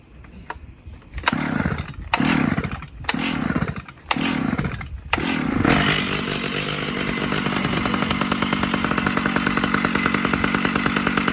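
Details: Old Stihl or Husqvarna chainsaw with old fuel and a roughly 20-year-old spark plug; after several pull-starts with the choke on, it catches into a fast, slightly uneven, strained buzz, sounding tight. Owner suspects it needs fresh fuel and a new plug.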